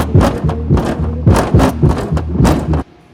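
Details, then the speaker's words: Kicker CVX 15 subwoofer after epoxying the unblown voice coil and resoldering terminals, at low power: deep bass thumps land cleanly with no buzz or voice coil rattle; repair successful. "even at this low volume when i had it hooked up you'd hear the voice core rattling like crazy and fortunately i don't hear any rattle at all good"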